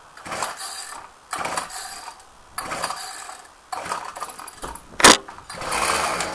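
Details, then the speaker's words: Ryobi cold start with ignition on and choke, then tried without choke: repeated whirring recoil pulls but it never fires; owner suspects stale fuel, recoil spring acting up; hard starting, no fire on recoil. "try no choke i think the fuel might be too stale let's try smelling it that smells a bit stale to be honest"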